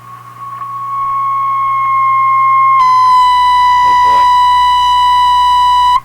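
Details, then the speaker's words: Marconi 201A AM/shortwave radio, weak on shortwave, around 18 MHz at full volume: steady ~1 kHz tone turning hollow and buzzy then cutting off; suspected internal regeneration-like oscillation influenced by volume control and tuning. "that's got to be some internal thing I think in the radio you can hear that Hollow ringing sound"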